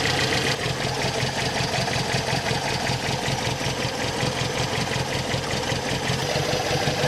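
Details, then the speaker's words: Brazilian Chevette with Solex carburetor, engine still cold, just after cleaning the idle circuit screw. Steady low idle, slightly shaky but holding speed without dying: slightly rough cold idle. "seems like that helped the engine's still cold so it's a little shaky but it's not dying"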